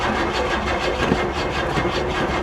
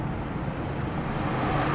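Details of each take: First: Old, long-unstarted car at an insurance auction, cranked from a battery pack: it turns over slowly and evenly at about 2.5 beats a second without catching. The engine is suspected to be tight from sitting. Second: Kia at an insurance auction, 79,000 miles, on a booster pack with suspected dead alternator and battery light on: steady even low idle hum with no knocks or misses; normal idle.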